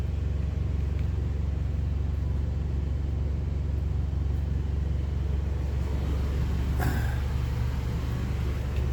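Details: Yamaha generator with NPS eco kit under air-conditioner load, about 58 dB after one AC: steady deep drone with even low hum, no misses or knocks; generator carrying the extra load smoothly.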